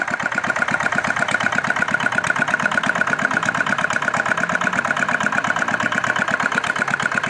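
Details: R180 single-cylinder diesel whose bearings kept failing; a new part was fitted, atomization checked good, then the engine was started. Even, steady idle thumping at about three beats a second with no knock or clatter.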